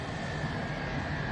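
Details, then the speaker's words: 1969 MGB heater blower motor, dry-stored since 2001 and tested on the bench: a steady high whine over the motor hum starts as oil works up the shaft, a dry or worn shaft bearing. It was quieter after lubrication. "the whine. Just as the oil was working its way up the shaft, it started whining at me."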